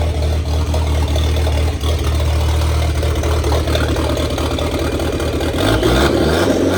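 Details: 1927 Ford Roadster 2.3L turbo four after fuel-line repair, 91-octane fuel: steady low engine note at even idle, picking up slightly near the end, no misses or knocks; running cleanly, no leaks, tuning still to come.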